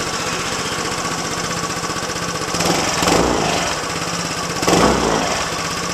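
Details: Yamaha Zuma BWs125 scooter just after installing a Leo Vince exhaust with header and O2 sensor reattached: steady, fast popping single-cylinder idle with two quick throttle blips that swell and settle cleanly; normal idle and revving.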